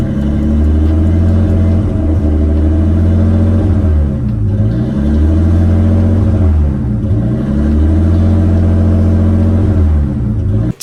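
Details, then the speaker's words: Nissan R32 with rebuilt motor, about 100 miles on it: idle hunts in slow waves between about 2000 and 1000 rpm, sometimes sitting high near 1700. It happens more in the morning. Erratic idle hunting. "occasionally i'm getting this weird idol where it's idling super high normally which is not normal but it's idling at like 1700 which is really high sometimes it's going from 2000 to 1000 up to two thousand i'm down to one it's like just keeps doing"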